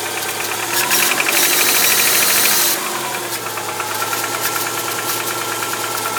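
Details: 2001 Subaru Outback 2.5, 278k mileage, valve adjustment already done: strong metallic rattle when accelerating for the first 10-15 minutes, harsher as it revs, then much less after steady driving. Engine rattle, origin unclear.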